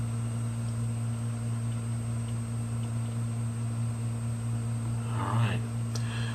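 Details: 500GB hard drive with replacement heads installed, powered up on an imager: a steady low spindle hum, a faint high whine and one brief chatter of head movement. It spins up normally and starts imaging.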